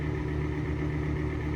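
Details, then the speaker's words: Exhaust fan running with a steady low hum, rough drone and faint high whine, probably from worn bearings; not squeaking yet, so not apparently out of oil; last oiled with 3-in-1 oil; still works. "You're just making a lot of noise because they're probably bad bearings."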